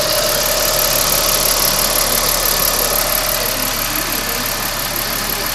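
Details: 2009 Ford Falcon FG XT petrol engine idling with a light, regular tick, about three a second, under engine-bay hiss, heard to the right of the engine; cause unknown, owner asks for help.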